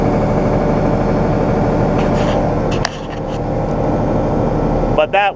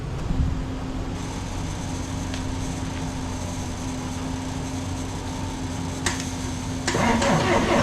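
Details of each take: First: A second tractor starting as a tractor should, heard for comparison with a John Deere 6115M that will not start; the owner suspects the 6115M's starter solenoid. Steady, even diesel rumble with no stumbling, normal diesel start. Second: John Deere 6115M tractor with an intermittent no-start, tried with a battery charger connected after nothing happened at the batteries. Quiet hum, then the starter engages and the diesel fires and runs up; the owner doubts the battery and suspects an electrical fault, possibly the solenoid.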